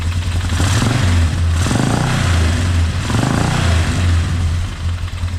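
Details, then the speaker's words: Quad with a newly installed carburetor: idles steadily with a low, even thump, blips up and settles back smoothly, no misfire; running normally. "seems to be running good."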